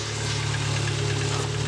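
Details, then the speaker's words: 2004 Subaru Impreza TS 2.5L, first start after valve cover gasket replacement (earlier no-start was a loose battery connection): smooth, even low idle hum with steady beat, no knocks or ticks, no oil leaking; normal idle. "Whoa! She sounds healthy! Make sure there's no oil leaking."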